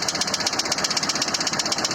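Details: ZMZ-402 engine at idle: a sharp metallic tick repeating about twelve times a second, an unexplained foreign noise from inside the engine whose source is not pinned down; engine knock.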